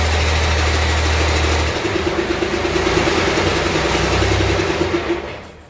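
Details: 1948 Ford F6 COE rat rod, 190 HP 5.9 Cummins 6BT, P7100 pump, first start: cranks, catches, settles into deep steady rumble with loud air compressor drone over it—clean first start, not smoking much.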